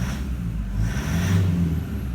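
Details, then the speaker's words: 2009 Toyota Land Cruiser Prado 120, 1KD-FTV diesel at 271,000 km with overdue injectors, running rough at startup. Deep, uneven rumble with a wavering beat. Blow-by from leaking injector seats suspected, not yet confirmed. "it sounds terrible let's have a look at the readings in a minute"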